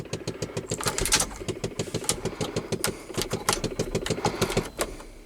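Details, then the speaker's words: 1993 Chevrolet 3500 with a 5.7 350 TBI engine, first start in years. Quick steady clicking about three times a second comes from the dash over a lumpy idle; a GM blend door actuator is suspected. "you know it quit I'm gonna turn it off up laughs you gotta love GM blend doors"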